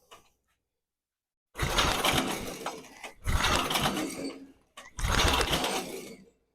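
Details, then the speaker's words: Snapper SG8000 chipper shredder, Briggs & Stratton 8hp, barn-stored about a decade; with compression, spark, airflow and fuel in tank confirmed, fuel valve open and choked, three recoil pulls turn it over but not a single pop: fuel not reaching gummed carburetor suspected. "nothing not a pop not a putt nothing at all but just because we have fuel in the tank doesn't mean it's actually getting into the carburetor or getting into the engine"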